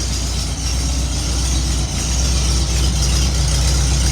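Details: 1972 VW Beetle air-cooled engine after hard start relay installed to cure hard starting: even, steady low putter about four beats a second with no misses or knocks; healthy idle.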